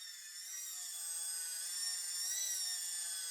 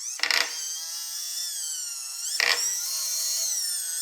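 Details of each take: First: DIY solar tracker rope winch lifting a weight after fix with cone-point set screw in dimpled shaft: smooth high motor whine, steady pitch, no clicks or rope slip under load; normal lifting. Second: DIY solar tracker rope winch, motor-driven worm gear lifting a weight: steady motor whine with harsh grinding bursts about every two seconds under load; worm gear suspected off center grinding on worm's ungrooved smooth part.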